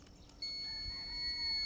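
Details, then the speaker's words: KTM Freeride E-XC electric dirt bike, key relocated to the side: after pressing the start button a single steady high beep comes on and holds, the ready signal that the bike is live to ride. "and you can hear that it beeps, and now we're going."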